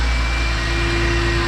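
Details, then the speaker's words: 12v VR6 Jetta wagon at first start, new nut fitted, with some steam from residue burning off: smooth, even purr with no chain noise or ticking. Runs normally. "oh she's purring listen to that that's that's so much better nice and smooth no chain noise"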